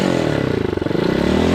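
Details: Hawk 250cc bike running on half choke; single-cylinder putter wavers and bogs, owner says it's getting too much fuel and suspects a carburetor/choke fault.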